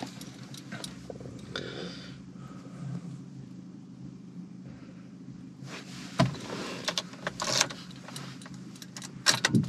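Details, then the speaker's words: Flood-damaged Vauxhall Corsa SRi, 54,000 miles, 3/4 tank of fuel: turning key gives a steady electric whirr with no cranking rhythm and engine not catching; starter motor suspected spinning without engaging, not confirmed. "seconds definitely sounds like the starter motor is just spinning and not engaging"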